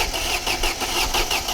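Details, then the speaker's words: 1995 Mercedes-Benz W124, old car being revived: steady cranking at about five pulses a second with no firing; no spark found, with the crankshaft position sensor, already replaced once, suspected. "None. we have no spark. we don`t have a spark."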